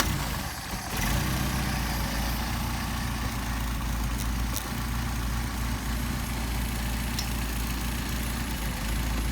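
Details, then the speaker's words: Mercedes 190SL with machine-shop-rebuilt Solex carburetors, tested hot after a cold start: steady, even idle around 750 rpm, the factory spec, with no misses or hunting; carbs balanced and idling smoothly. "between 750 right around 750 which is what the factory specifies so leaving you with a good idle"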